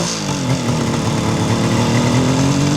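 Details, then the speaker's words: Fully restored 1976 Suzuki GT750A two-stroke triple on original pipes, started stone cold on a cold day after a week unused, about 1,000 miles since rebuild: smooth, even, quiet burble rising gently with throttle, no knocks or misfires; normal engine revving. "It sounds really smooth and quiet. Not really loud at all, very civilized."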